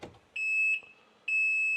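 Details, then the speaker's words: Can-Am Maverick R, key pulled with permanent neutral enabled: two steady high-pitched beeps about half a second long, a second apart, over a quiet cab; key-off warning that stops after a few seconds. "recognize that noise that's the noise you hear when the car is running and your driver's door is a door doesn't matter if the doors shut or not that noise happens uh but now you can roll the car around um that noise will stop in a few seconds so it's not all the time"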